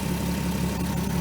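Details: 2003 VW Eurovan VR6 after replacing timing chains, guides and gears: even, settled idle rumble with no tapping from the front; chain drive quiet, earlier chain noise fixed.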